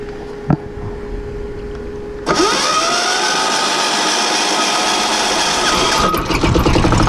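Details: Yanmar 186F 10hp single-cylinder diesel generator running on vegetable oil, after fuel injection line replacement and muffler rework; booster-pack start with decompression valve, then cranks, catches and settles into steady even clatter with loud exhaust. Normal running.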